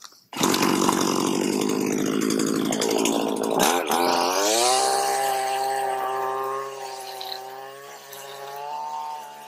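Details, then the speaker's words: Stihl FS80R trimmer after carb rebuild and coil fix, idle set by ear: starts at once, revs up then settles into a steady even run with a slightly rich four-stroking burble; healthy, called a win. "I think we'll call that one a win I'm running a little bit Rich I'm happy with that"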